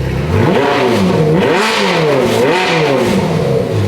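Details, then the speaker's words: Rebuilt ex-rental Ferrari F430 V8, no exhaust, in neutral after unexplained move-and-stall in gear: revs climb and fall cleanly in quick blips, no stumble; revs much better than before, free-revving normally. "No. It revs a lot better. Listen. Way better."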